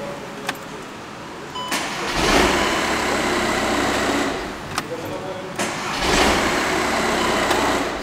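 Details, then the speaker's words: VW Jetta Mk5 1.9 TDI 105 hp diesel, 167,000 km: two restarts, a click, brief crank, then abrupt catch into rough idle; dash power cuts instantly when stopping. Suspected dying battery and a starter motor needing cleaning and greasing. "I have the feeling that the battery is about to die soon. The symptom for this is when the tension is cut out instantly, and the dash goes immediately out of power. And starts a bit sudden."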